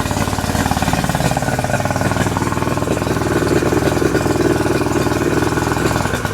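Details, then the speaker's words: 2008 Yamaha 90 hp two-stroke outboard that sat unused, running in the rain after a new impeller was fitted and it pumps water again: uneven, lumpy idle with irregular popping. Rough running; owner says carburetors need cleaning. "great so as you can tell the motor is running a little bit rough and that's because I have to clean the carburetor"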